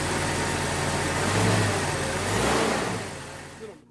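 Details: Freshly replaced power steering pump on a 1999 Jeep Cherokee XJ, reservoir just refilled: steady, even idle with no whine or groan from the pump, then the engine is shut off; runs fine.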